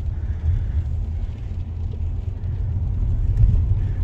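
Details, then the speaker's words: Low, even rumble while pulling away in a BMW 7 Series E65/E66 on its first drive in a year after repairs; road noise with no clunks, knocks or squeals, though front brake sensor and wipers still need replacing. "Drive perfect in the first meters we don't have any kind of strange noises"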